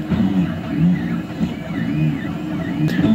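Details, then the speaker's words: 3D printer printing with retraction set to 2 mm, down from a suspected Cura default of about 6. Stepper motors whir and sweep in pitch with no sharp pops from the nozzle: normal printing, no filament popping. "now at 2 millimeters is just barely barely moving back to suck the filament back up in there and I'm not hearing any popping or snapping of the plastic exploding when a retrack after a retract happens"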